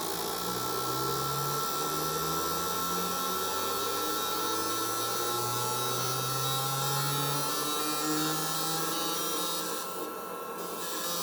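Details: Four Toyota Hilux injectors on a cleaner/tester bench, one-minute flow test simulating up to nearly 10,000 rpm: even high buzzing chatter with a faint steady whine holding level; healthy pulsing, flows 92-98 ml, 6 ml spread.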